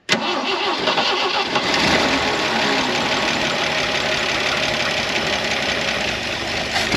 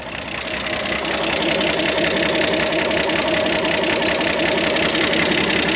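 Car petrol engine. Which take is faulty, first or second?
first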